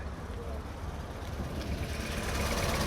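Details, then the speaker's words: 1980 Ford Taunus 2.0 Coupe on LPG, carburetted, started easily. Low, steady idle thrum of about three and a half pulses a second, no coughing or stumbling; carb tune and diaphragm good, though it needs a little valve adjustment. "The carb tune is nice diaphragm is not bad The car would've coughed if the carb was untended It needs a little valve tune but understandable for a LPG car"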